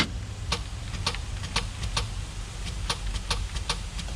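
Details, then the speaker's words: Starter on project vehicle "Earl", first crank attempt after starter relay wiring: sharp irregular clicks over low hum, engine never turns; battery voltage sagging, starter lacks power. "a little, you can hear it click. It just doesn't have the juice to start it."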